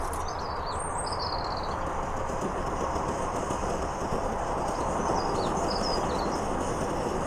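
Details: Trangia X2 multi-fuel burner after priming and heating up: steady, even rushing roar with no surging or sputtering, birds faintly behind; running smoothly.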